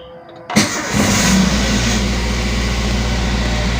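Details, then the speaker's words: Toyota Avanza/Daihatsu Xenia truly cold start after 8 days unused with battery negative disconnected, in neutral, electrics off: short crank, catches at once, smooth even idle above 1000 rpm, all warning lights off; healthy cold start. "Oke, ketika mesin sudah menyala, semua indikator mati ya teman-teman. Nah, itu tandanya tidak ada sensor yang bermasalah pada mobil kita."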